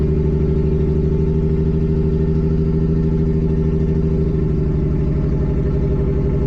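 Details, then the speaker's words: Nissan G35 with 1JZ swap on ECUMaster EMU Black; loud uneven idle with lumpy stumbling pulse shifting partway, rough running; owner suspects old, very low-octane fuel, unconfirmed. "All right. Well, car is definitely not happy, obviously. Um, I think the fuel is really old cuz it it smells bad. Yeah, it's pretty old fuel."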